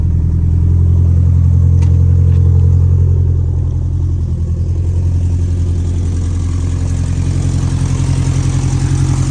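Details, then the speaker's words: 2013 Scion FR-S after the owner rebuilt its blown engine: first start, engine settles into a smooth, even idle after a brief rev, steady low hum, no knocking or ticking; sounds much better than before. "She's alive. And she sounds so much better than what she used to. It's working."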